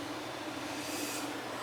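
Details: AC air handler after replacing the burnt main control board: steady, even airy rush with soft constant hum, no rattles, clicks or surging; the unit is running normally.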